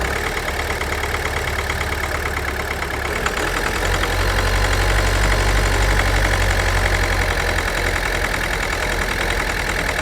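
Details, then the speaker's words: 2011 Ford Focus 1.6 TDCi diesel, smoky with a tick, no fault codes, injector problem suspected. It idles fine once past the initial splutter after start, but misfires with an uneven chugging when revved. Cause not confirmed. "But when you rev it, that's when it starts to misfire,"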